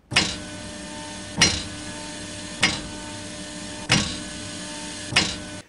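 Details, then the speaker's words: Sharp metallic clunks about every 1.25 seconds as the brake is applied during direction changes (reversing, stopping, then moving forward): brake pads knocking against the caliper bracket. "nesta nesse acionamento do freio é onde que a gente ouve o o barulho da pastilha batendo no cavalete"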